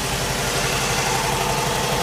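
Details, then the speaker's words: 2010 Dodge Charger 2.7 L V6 idling fast and unevenly, rpm over 1000, after the idle air control connector is pulled slightly loose; these clips often break, causing rough idle, stalling, misfire and check engine light. "what happens when you pull it a little bit and you don't even know what [Music] you get the crazy idle rpm goes up to over a thousand"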